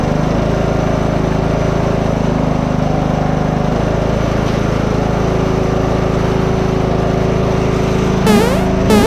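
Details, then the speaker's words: Free Simplicity riding lawn tractor after a new fuel filter and fresh gas, ready for a test drive. The small single-cylinder engine holds a steady, even drone with no misses or surging. Normal running. "now it's time to go on a test drive break down key doesn't sound too bad for free if you ask me"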